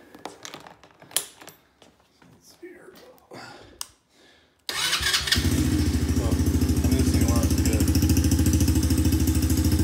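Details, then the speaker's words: Coolster 125cc ATV with aftermarket boot-mounted carburetor modification: after handling clatter, engine catches and settles into a steady, even idle with no popping or backfire; runs solid, healthy. "Doesn't really backfire. Runs solid. It's good to go."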